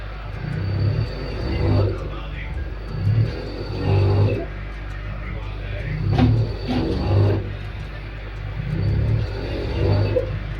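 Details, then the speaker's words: LG 5.5 kg direct-drive front-load washer in spin, with a complaint of abnormal noise and poor washing. Low humming surges pulse about every 1.5 s as the drum jerks. The bearings are fine; the motor is not turning properly because of a faulty Hall sensor. "जैसे आप लोग देख पा रहे हैं कि यह जो साउंड हो रहा है ये एक्चुअली कोई बियरिंग का साउंड नहीं है। मोटर ठीक से घूम नहीं रहा है।"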